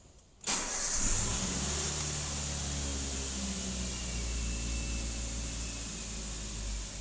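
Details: Daihatsu Xenia started in neutral with an OBD scanner connected to read live data: short crank, then the engine catches cleanly and settles into a smooth, even idle with no knocks or misses; normal start and idle.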